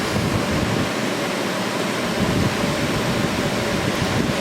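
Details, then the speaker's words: Early 1960s Philco Noiseless window air conditioner, about 7000 BTU, restored: strong, steady rush of air with no rattles, squeaks or knocks; fan runs evenly and moves a lot of air, normal airflow. "and here's the big to change the direction of the airflow and this thing moves a lot of air"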